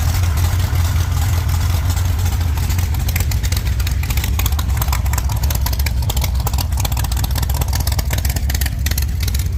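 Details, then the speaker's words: 1948 Chevy Fleetline small-block V8 with a 4-speed, during a test burnout after fixing the push rods it kept breaking and after clearing roof-leak water from the headers: a deep, loud, steady rumble under load with no ticking or clatter. It sounds healthy. "I think that sounds pretty good. I may pull the valve covers and just inspect everything."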